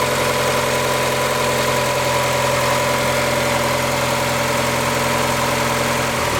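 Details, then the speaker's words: Mazda MX5 after replacing the auxiliary belt driving power steering pump and air-con compressor: steady, even idle with smooth hum and no belt squeal or chirp; engine runs healthy, job done. "Well, that sounds a million times better, so I think that is job done."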